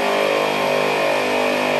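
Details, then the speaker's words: Twin ARB onboard air compressor on an overland Jeep inflating a tire through the rear air hose: steady, even motor hum at constant pitch, no knocks or surges, running smoothly under load. "now that the hose is pressurized completely and we can oh onehanded not so good there there we go now we're inflating the tires pumps"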